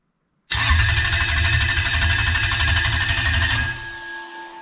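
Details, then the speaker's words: Starter controlled by a Link G4X Xtreme ECU set to a 3-second crank limit and the fuel pump not yet connected. Steady, even starter churn for about three seconds that cuts off cleanly with no firing, under 600 rpm; normal cranking. "see so that has actually cranked over for a short amount of time now now clearly it's not stock because rpm has not gone above 600 rpm"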